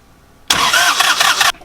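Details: Northern Lights 12 kW diesel generator, new cylinder head fitted, valves adjusted, coolant replaced, minimal injector bleed: one-second burst of rough cranking with uneven compression pulses, never catches; air still in the fuel suspected, not confirmed.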